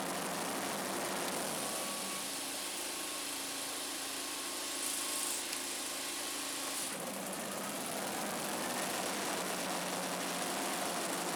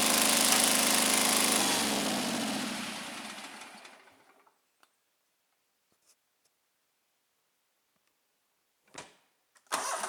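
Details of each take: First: Scag Turf Tiger 61 with Kohler CH25S twin after replacing the bad ignition coil, air gap set at 0.010 in: smooth, even running as the blades (PTO) engage, holding speed without stumbling or dying; fixed. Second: Scag Turf Tiger 61 with Kohler CH25S, which shuts off when the blades engage; one coil wire pulled: runs rough and fast-pulsing, dies within four seconds. The other cylinder is dead, traced to a failed ignition coil.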